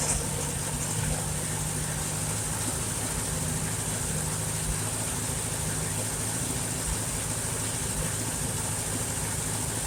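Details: 1951 Farmall Super A tractor after engine rebuild, idling after carburetor adjustment, with a little water in the gas (Seafoam added); steady even run with no misses, knocks or surging, sounds a lot better: normal idle.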